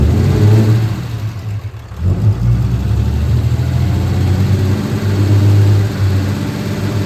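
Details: Fourth-gen 6.7L diesel truck during a DIY valve adjustment: deep, steady diesel clatter with one smooth dip and rise in revs, then an even idle with no knocks or misses; sounds healthy.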